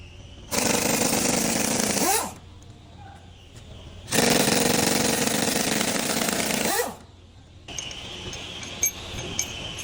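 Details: Cummins 4-cylinder diesel: revs in loud rattling bursts with a hard, rapid knock; knocking fault, cause not confirmed.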